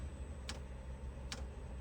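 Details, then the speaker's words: 2 kW Chinese diesel heater on a 1997 Mazda Bongo Friendee diesel, being diagnosed for an E-07 code, glow plug and fan on: two sharp light ticks a second apart over faint fan hum, dosing fuel pump priming normally. "if you can hear that that was the Prime so now it just primed it the uh fuel pump is now ticking away down here"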